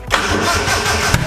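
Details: Car engine with about 100 compression, cranked right after a compression test; it catches a couple of rough firings but never settles into a run, with an uneven labouring rhythm and a nasty noise; the cause is suspected but not confirmed.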